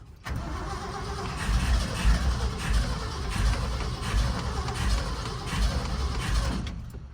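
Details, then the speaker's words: Car with a freshly cleaned and rebuilt Edelbrock AVS2 carburetor, mixture screws set 2.5 turns out, after gunking the owner presumes came from a clogged fuel filter: it cranks, catches and settles into a steady, slightly loping idle. A normal start; adjustments are still needed. "Yeah! I guess it serves well to have a clean carburetor. Awesome. We're gonna have to make some adjustments, but at least we're back in a good spot."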